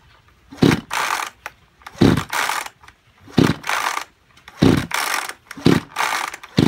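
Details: Kyoritsu chainsaw of unknown junk condition, tagged seizure and low compression: about one recoil pull every second and a half, each a whirring spin that dies away with no initial firing; cranks but won't start, cause suspected not confirmed, overhaul being considered.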